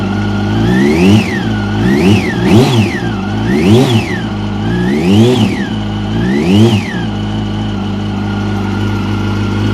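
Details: 2006 Yamaha YZF-R1, 19,000 km, inline-four blipped up and down in short revs: a light tick from the cylinder head area under the exhaust note; top-end ticking, cause not identified.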